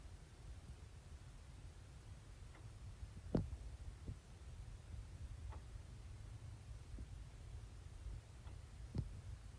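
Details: Maronda Homes house forced-air heater, noticed since the start of winter: sharp, irregular ticking/knocking from the living room wall and all room vents over the heater's low hum.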